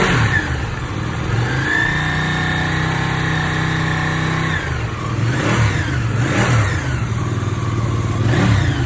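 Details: Ducati 959 Panigale after repairing engine knocking: smooth, clean rise and fall in pitch through each throttle blip with no knock or tick, healthy engine revving.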